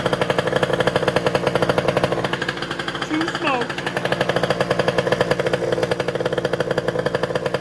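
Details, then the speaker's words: 70cc two-stroke race scooter, total-loss electrics, drill-started, on race gas, Polini dash: fast crackly chainsaw-like buzz revving up and dropping back, firing evenly; healthy normal running. "And it sounds pretty wild. It sounds like a pretty nasty little chainsaw, but you know, it's only 70 cc's, so I think there's bigger chainsaws out there than that."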